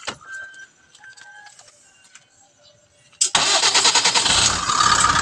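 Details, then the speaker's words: 24-volt close van truck that would not start, one weak battery replaced: quiet pause, then engine catches at once and settles into an even steady run; clean start confirms the battery was the problem. "So ayan mga idol. So kumpirmado na batery talaga ang ah problema."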